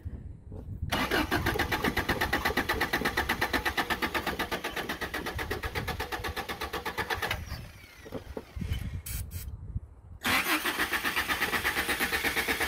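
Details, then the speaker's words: 1987 Toyota pickup (2WD Hilux) with 22R engine, steady starter cranking about three turns per second, repeated twice, with no firing; cranks but won't start because the distributor rotor was left out after cleaning cap contacts. "oh uh we've run apart it's not gonna do real good without that double hashtag fail you need this for it to run"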